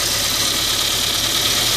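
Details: Saab 900 rough idle with a faint uneven shudder under a hiss, plus clicking from a bad fuel injector that isn't spraying, so one cylinder misfires. A laser thermometer confirmed it by the cooler exhaust header.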